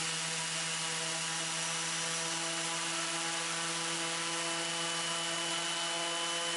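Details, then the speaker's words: Raptor prototype aircraft engine run-up outdoors after reassembling and oil-priming the reduction drive, checking leaks and governor: even high-pitched buzzing roar at steady revs, no knocks, rattles or surging; engine and redrive healthy. "So this is a run up here going on. I'll let you listen to that for a little bit."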